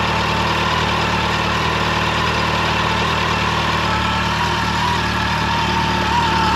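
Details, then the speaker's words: Brand-new 2024 Yamaha FJR 1300ES, idling for 4 minutes after its first oil change, oil light goes off, oil level correct, no leaks; a smooth, even four-cylinder idle with no knocks, ticks or rattles; normal idle. "I let it run for 4 minutes you can see the oil is in the proper uh location on the marks there and uh yeah it's not leaking anywhere"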